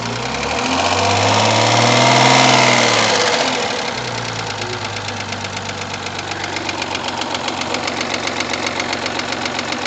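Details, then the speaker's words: Rover 75 20K4F at idle: loud steady sharp metallic knock about four a second; cause two metal debris pieces in cylinder 5 (rear head), apparently from prior camshaft job, one trapped under valve; two valves replaced. "Не-не-не, клапана хуярят. Не знаю, я не знаю какой цилиндр, но клапана хуярят."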